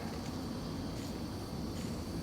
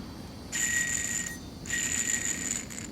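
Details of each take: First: 1995 Ford Crown Victoria LX, old idler pulley removed and spun by hand: soft, even whir with no clicking or grinding, a smooth bearing, unlike the rough tensioner pulley. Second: Removed tensioner pulley from a 1995 Ford Crown Victoria LX, hand-spun with no belt tension, gives a high ringing whir with gritty hiss and rough feel, unlike smooth idler: worn tensioner pulley bearing.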